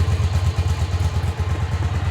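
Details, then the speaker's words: 1985 Yamaha Virago 1100 twin, stored 8 years, after carb, fuel and idle screw work, choke fully off: lumpy, even low thump at steady idle with no knocks or misses; normal idle. "and I think I got it sounds all right now choke is fully off idle's"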